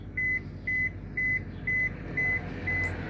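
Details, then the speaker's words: Toshiba top-loading washing machine at switch-on: sharp high beeps about twice a second over a low steady drain pump hum, pump wrongly running when powered on; E95 error caused by loose wires at the pressure switch, fixed by reconnecting them. "when I turn on the washing machine you can hear the sound of the water pump in the normal case when I turn on when I push this button nothing should go on with this washing machine but because we have initial this washing machine it turns on water pump"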